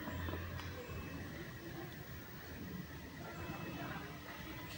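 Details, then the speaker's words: Toyota Sienta engine bay, rough snoring noise worst when revving and with AC on: rough rumble from a weakened automatic belt tensioner; tensioner and cracked fan belt replaced. "yang sering terjadi di Toyota sienta yaitu adalah auto Tensioner atau Tensioner belt pengatur kekencangan maupun kekendoran fanbel otomatisnya dia sudah mulai lemah jadi menyebabkan bunyi kasar"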